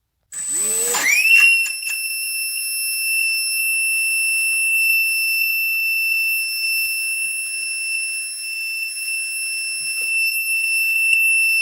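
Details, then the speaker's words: HobbyKing EZIO 800 electric RC glider motor on a 2-cell battery (800 mAh; the 300 mAh pack gave the same result, so not the battery): grinding, then a long high squeal at only 25–30% throttle, suspected defective ESC. "that was a long squeak and it was only a 25 30 percent throttle so i think we have a bad escape"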